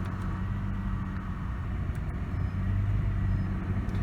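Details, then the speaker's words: Used car during inspection, engine not yet warmed up: steady low idle rumble with a slight lift in rpm as the AC compressor cuts in and cold air blows; normal AC engagement, no noises. "See how the idle changed a little bit, the RPM changed. Our air conditioning is kicking on and it's blowing nice and cold."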